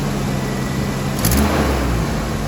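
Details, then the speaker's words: 1990 Nissan pickup, four-cylinder with straight pipe, after a Sea Foam treatment: loud steady idle, a quick throttle blip that settles smoothly. The engine sounds healthy, but there is an exhaust leak that needs fixing. "she sounds healthy we just need to fix that exhaust leak"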